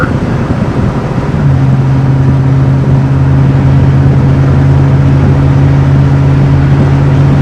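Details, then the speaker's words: Barn-find 1966 Ford Thunderbird big-block V8, first test drive after sitting since 1988, fuel tank replaced and cooling system sorted, still warming up: deep, even drone at steady pitch under light driving, no knocks or misses, running smooth. "so far it's running really smooth it has no power well it has some"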